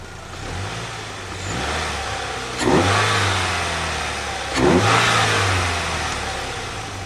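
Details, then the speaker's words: 2008 Pontiac Solstice after head gasket replacement and faulty cooling fan replacement, smoking stopped: two clean throttle blips rising and falling smoothly, no knock or rattle; engine quiet and healthy. "by the time I got it home it had stopped smoking and after replacing the faulty cooling fan we could finally have a bit of fun with it"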